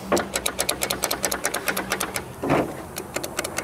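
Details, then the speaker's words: Locked-up 1962 AMC Rambler American sitting 50 years: rapid chattering clicks in short bursts with a brief grind after tapping the starter with a hammer, no crank rhythm; starter trying against seized engine, cable suspected of insufficient current. "Nothing, huh? There it is. Trying a little bit, ain't it? Yep."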